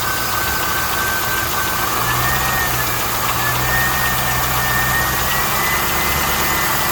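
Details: 2001 SS V8 (LS1), one previous owner, 109k original miles, manual transmission, engine never opened, has always sounded this way; light fast ticking over smooth idle, lifter or normal valvetrain noise uncertain.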